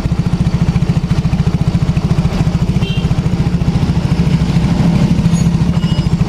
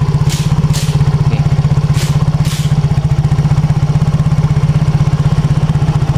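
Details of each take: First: Yamaha X-Ride scooter idle pulsing unevenly at three to four beats a second with a lumpy, hunting rhythm; weak power, torn air filter; clogged fuel injector starving the engine. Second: Yamaha X-Ride scooter after repair of heavy, sluggish running and harsh exhaust: even, steady putter of about four beats a second with no hunting or misfires; clean, stable idle.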